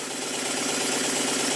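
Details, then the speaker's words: Model steam engine built circa 1896, rebuilt with oiled parts and correctly set valve timing, running on cardboard at various speeds: fast, even exhaust chuffs over steady air hiss, no knock or bang, quiet running despite a weak, wobbling crankshaft. "When I place the engine on a piece of cardboard, because my workbench is a soundboard, you can hear how quiet it is. This quiet running is nothing to do with the mechanical condition of the engine."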